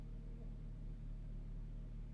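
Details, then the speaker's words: 2015 Mazda CX-9 at idle after replacing the holed rear Y-pipe exhaust section without welding: quiet, even low rumble, exhaust sealed with no puffing or ticking. "after that the engine is started up check for any leaks and as you can hear the exhaust note is substantially"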